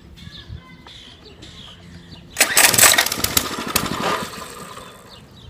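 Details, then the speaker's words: Mini-bike small engine, start attempt after sitting 6 years, new gas, spark plug good, sprayed with starting fluid: quiet cranking, then seconds of ragged popping fading out; catches but won't keep running, cause unconfirmed; owner plans to clean the air filter next. "oh it's almost there it wants to live so bad okay oh we're getting there oh it wants to go so"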